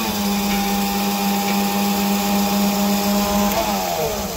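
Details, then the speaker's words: Ford F8000 truck that sat about 8 years, truck-mounted crane swinging after filing cobwebbed control contacts. Steady hydraulic pump whine that shifts as the boom moves; boom raise still faulty: normal hydraulic crane swing. "Oh yeah, she's swinging around just like a brand new one."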